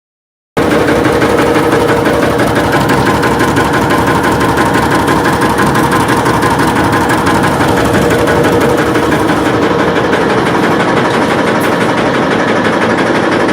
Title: Foot vibration and knocking noise